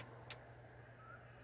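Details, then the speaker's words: Transformer with 50 ohm resistive load on the secondary (16.2 V) and a 4 µF capacitor put in series; steady low hum with rough growling edge and one sharp click under massive amp draw; growl from overcurrent. "so when I put a 4 UF cap in series let's see that would be this one you hear it kind of growling and it's got massive uh amp draw"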